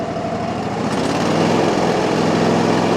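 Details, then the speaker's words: Small petrol engine after adding fresh gas to stale fuel: steady buzzing idle with a slightly uneven, wavering beat, tends to die at wide open throttle; owner suspects remaining dead gas, improving as it runs. "And I can tell it ain't quite running just right, but it's getting better. Hear that? And there tries to die out though when you go wide open with it. I still believe it's due to the dead gas in it."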